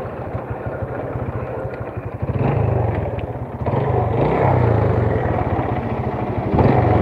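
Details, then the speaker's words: Vega R motorcycle that lacks power, with a rough engine and a lag off throttle, while riding: a steady tek-tek knock of about three per second that quickens with revs; diagnosed as a worn connecting rod. "nah ketika jalan kayak gini k terdengar suaranya itu stabil suara teektenya segitu itu adalah suara setang seer teman-teman"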